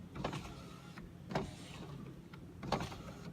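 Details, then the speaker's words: 2005 Honda Civic Hybrid driver's power window after door reassembly: the motor whirs in short strained bursts, with a catch and thump as the glass binds inside the door. Culprit believed to be a foam block on the door panel whose adhesive is failing. "before sounds like it's binding on something on the inside"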